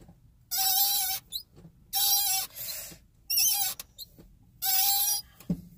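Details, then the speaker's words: Car clutch pedal, engine off, after about ten minutes of driving: four sharp high rubbing squeaks, one per pedal stroke, from under the dash, starting only after driving and growing louder; squeaky clutch pedal. "the clutch pedal it doesn't do it whenever you start driving look right when you start driving you gotta drive the car for about ten minutes and then it and it slowly starts and it gets louder and louder and louder"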